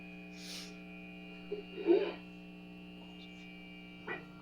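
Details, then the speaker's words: 1970s Kustom Sidewinder 24C guitar amp at full volume with no instrument plugged in: constant low steady hum with a higher buzzy overtone; mains hum, cause unknown, bass control also acting strangely. "i'm not really here let me turn it up a little bit i'm hearing the hum"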